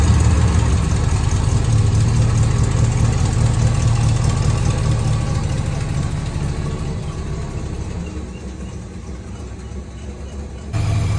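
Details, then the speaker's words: Holden HQ ute V8 after oil change, exhaust refitted and alternator wire fixed, burning off on the manifolds: deep, even burble with a steady idle and no knocks or misses; running smoothly. "It's burning off a bit on the manifolds, but this thing's an absolute sweetheart now."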